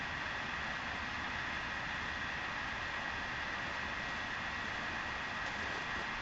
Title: Vaillant ecotec plus 438 droning vibrating noises